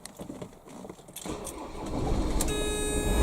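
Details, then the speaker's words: Motorhome/van with electric step: engine cranks and catches, then a steady high electronic warning buzz sits over the idle, signalling that mains hook-up power is still plugged in and the step is out. "That's letting me know the power's still plugged in and your steps out."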